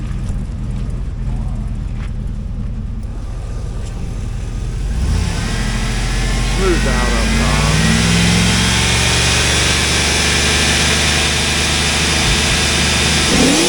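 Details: 2004 Hummer H2, LQ4 6.0L V8, 4L60E, donor vehicle test before part-out: uneven, slightly lumpy idle rising into strong rev that turns smooth up top; light misfire at idle clearing with rpm.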